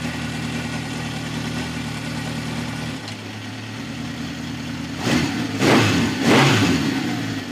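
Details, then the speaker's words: Original 1971 Honda CB750 K1 (about 18,000 miles, hard starting) during carb sync: all four cylinders now firing with a slightly lumpy idle and sharp blips; cylinder one throttle was far too open, cylinder three low; ignition timing spot on; carburetors out of sync. "it's definitely running all four yeah one was way too open"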